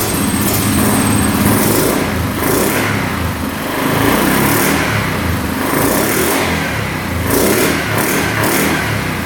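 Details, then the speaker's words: 2009 Yamaha Grizzly 550 EFI ATV, which the seller said hung at high revs, running with the air box off. It revs up and drops back smoothly and cleanly, with the throttle not hanging up or over-revving. "Alright, so far so good. Throttle's not getting hung up at all, not over revving."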